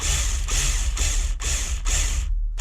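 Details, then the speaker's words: Nitro RC truck roto-start: repeated half-second bursts of free-spinning ratchety whirr, engine never turned over; owner suspects the one-way bearing, possibly a worn shaft, not confirmed; roto-start spinning without engaging. "Completely dead spinning in there. It's not doing nothing. So I hope the shaft's not gotten too small on it. I hope it is the one-way bearing."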